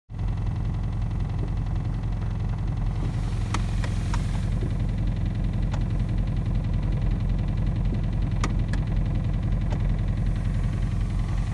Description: Audi A3 2011 8P | 1.4 tfsi strange engine noise when idle and warm